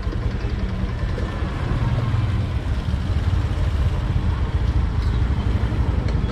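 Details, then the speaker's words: Sniper 150 motorcycle after reset and tuning done the day before: starts once and no longer dies, low steady idle holds without dipping; idle now okay. "Okay na yung pinaka-idle niya. So, napansin nyo katropa, i-start natin isang beses, hindi na siya namatay."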